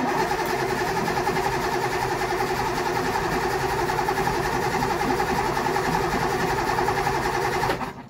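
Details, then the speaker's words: 1964 Triumph 2000 fitted with a 2.5-litre engine, barn find with rat infestation, jump pack connected, only gravity-fed fuel and carb bowls not primed: even rhythmic cranking about three and a half beats a second for eight seconds, never catching; cranks, no start. "but I just hooked up the jump pack and it turned straight over real nicely. So yeah, we've just got a little gravity feed fuel coming in."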